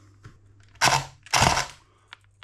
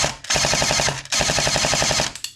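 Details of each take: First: S&T M240B airsoft support gun on a 7.4V battery, after a failed earlier repair and upgrade: two short harsh, rough, rattly bursts rather than clean even cycling; damaged, grinding gearbox internals. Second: S&T M240B airsoft support gun after gearbox rebuild, 7.4 V battery, 0.28 g BBs: crisp evenly spaced bursts about a dozen shots a second with no stutter or grind; normal full-auto firing and clean feeding.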